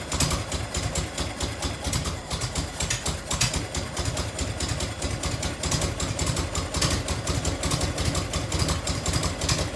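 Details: 1990 Harley FLHTC Evo V-twin, cold start on choke and fuel reserve, heat shield off, after primary and clutch reassembly. Lumpy idle with a sharp, quick tick on every firing pulse: exhaust leak at a crooked header clamp that needs tightening or shimming.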